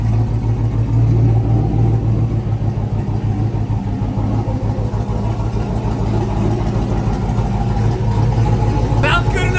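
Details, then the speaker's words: Chevy classic truck with LS swap, engine just reassembled and warming up (158 degrees): deep, steady V8 burble with an even low pulse and slight rev changes, no knocking or misfire; normal idle, judged good enough for a first drive. "good enough to me to take this pig for a ride."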